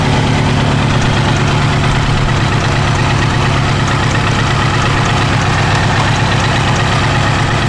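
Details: Kawasaki GPZ900R at steady idle: dull, even hammering beat over low exhaust drone; engine stutters above 3000 rpm; engine hammering noise, source unknown.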